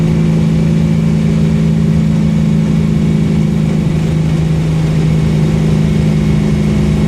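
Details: Steady, deep idle with a raspy, slightly uneven puffing edge under the drone; exhaust leak, though owner says it still performs well.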